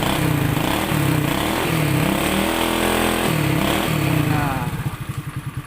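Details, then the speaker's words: Honda Dream 100 motorcycle, freshly rebuilt engine, full battery: kick-started easily, firm even exhaust thumps rising and falling with throttle blips, then slowing to separate pulses as it shuts down; runs cleanly, only electric start is faulty. "เดี๋ยวดับแล้วก็สตาร์ทเท้าให้ดูนะครับเป็นนะครับสตาร์ทเท้าไม่ยากนะครับ"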